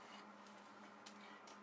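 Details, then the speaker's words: Frigidaire upright freezer not cooling, reading 65–72°F after a flood: faint sharp clicks roughly every half second over a quiet hum as the start relay cycles and the compressor fails to start. "what I'm looking for is a clicking sound that clicking sound lets me know to start I mean the relay actually is going to kick on to compressor and I'm just listening to it"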